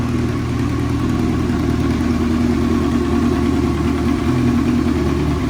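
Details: 1998 Kawasaki Voyager XII motorcycle with custom modifications and a non-stock exhaust and airbox: deep, even idle with a steady exhaust rumble and no ticking or knocking. The engine runs smooth and healthy.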